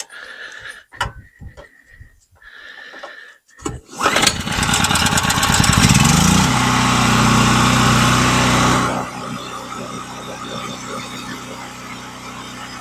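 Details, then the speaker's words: New DeWalt 4000 generator, made by Generac, on first start after unboxing and oil fill with cold-weather oil: a few pulls, then it catches and settles into a steady even drone before dropping to a calmer speed; starts and runs healthy. "It has to come off before you fill it full of oil and start it up. And this here is made by Generac. It's in with DeWalt. Generac's the one that made this. Okay, now we'll start it."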